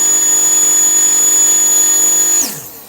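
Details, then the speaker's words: Car with Viper non-independent front end on the dyno, previously near 450: high, steady whine holding one pitch, then winding smoothly down when power is cut; strong, normal-running motor. "Listen to that thing. You can hear it. I just like when it's a really strong running motor."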